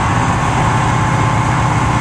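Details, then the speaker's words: 1983 GMC K10/K15 Rochester Quadrajet carburetor after replacing choke pull-off/vacuum break and tuning idle screws, still smoking less: loud, fast idle that stays high; owner suspects choke not opening, not confirmed. "I mean we're still smoking but not nearly as bad man that our p.m. went up again"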